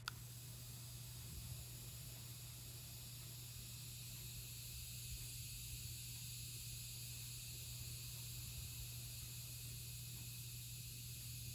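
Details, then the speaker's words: Wein rechargeable air purifier switched on: a steady soft high hiss from the ion-generating needle over a faint low hum, with no fan inside; single on/off setting. Normal ionizer operation. "so you can probably hear that hissing sound that is from the little needle in there generating ions and it's just got one setting it's just either on or off"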